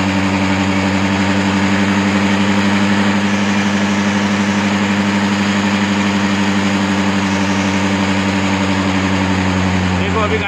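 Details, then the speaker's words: Honda Dio 4G scooter during carburetor air screw adjustment: a steady idle with a low, slightly uneven hum and sagging revs because the air screw was opened too far, leaning the mixture. It will be tightened slightly. Low idle speed. "गाड़ी की race कम हो गई है। जब गाड़ी की race full होगी उस वक्त हमको इसको छोड़ना है। हमने इसको ज़्यादा ओपन कर दिया, अब इसको हम टाइट करेंगे थोड़ी।"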